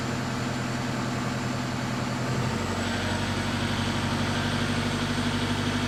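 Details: 2007 Toyota Fortuner 3.0 D4D 1KD-FTV diesel under acceleration: hard, fast metallic rattle from about 1400 rpm upward under load; injectors are brand new, so not an injector problem; knock source not pinned down.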